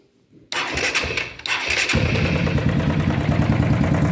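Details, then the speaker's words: Honda Titan 150 motorcycle engine cranks and idles with loud steady mechanical knock sounding like rod or piston slap, actually a worn cam chain tensioner, replaced. "Barulho feio, né, galera? Parece que é muita coisa que tem que fazer no motor. Parece biela, pistão batendo saia. Mas na verdade isso aí é coisa simples aí. O defeito tá aqui, galera, ó, no acionador da corrente de comando."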